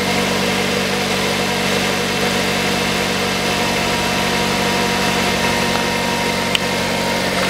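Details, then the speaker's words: 2006 Mazda 3 1.6, after replacing the drive belt (AVANTECH 6PK2010), idler (GATES T36418) and tensioner pulley (GMB GTA0490): a steady, even idle with a smooth hum and no rumble, chirp or clicking. The belt is not wandering; the drive is healthy. "Ремень на ролике не гуляет, и ролик новый не гуляет, ходит"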